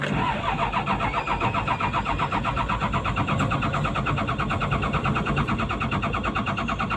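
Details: PC200-8 with a crank/no-start complaint blamed on a defective common-rail pressure sensor (no rail pressure); here loud diesel clatter with even firing pulses about 1.5 per second as the engine catches and keeps running, a normal start.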